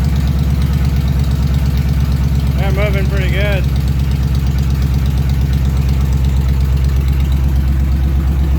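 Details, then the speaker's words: 1938 Ford idling in neutral with the rear wheels off the ground, the misfire improving but the engine still shaking. Lumpy, stumbling idle; cylinders 2 and 3 found not working, 4 working: engine misfire with two dead cylinders. "it feels like it's coming around it's still got a miss it's getting better though it's a lot better still got a little bit of a shake"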